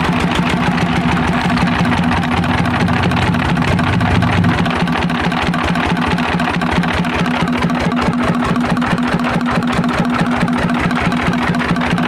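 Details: Single-cylinder diesel run after fitting connecting rod to piston, no exhaust or air filter fitted: loud raw steady chugging about 140 beats a minute with open exhaust roar, even, no knocking. Normal running.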